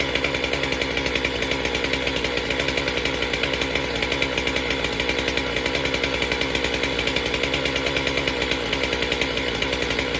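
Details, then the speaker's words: MS462 chainsaw after service with a cleaned air filter, started before calibration reset: steady high-pitched two-stroke buzz at high revs, even pitch, no surging or stumbling; runs healthy. "I feel like, and the saw sounded healthy. Let's just fire it up and see how she does, and then reset it."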